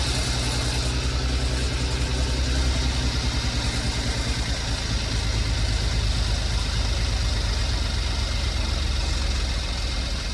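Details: 2015 Porsche Macan first startup after timing chain replacement, BCM programmed: smooth even idle, steady low hum, no ticks, rattles or misses; no check engine light, running as designed, though small coolant leak found.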